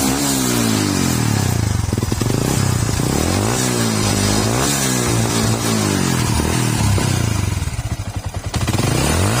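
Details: Yamaha R15 v2 motorcycle with a spark plug no-start problem: the engine revs up and drops back cleanly, pitch following the throttle, with no misfire or stumble, over background music. Normal running and revving.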